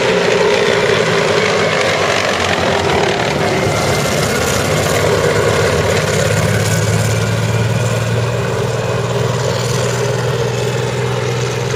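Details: CVR(T) Striker FV102 Swingfire tank, August 2010: loud, ragged engine note with an uneven, stumbling beat; misfiring badly, caused by a stuck valve; engine later replaced.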